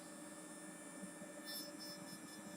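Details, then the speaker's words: Chinese full-bridge amplifier, no load connected, with the fan that normally comes on at clip point: quiet, steady airy hiss with faint constant hum tones and no rhythm; runs noisier than it should, cause unknown. "that sounds a bit noisy"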